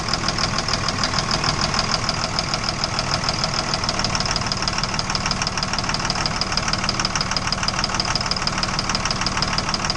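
Steady rapid knocking at about three per second over a running idle, not quite even; an engine knock of unknown cause.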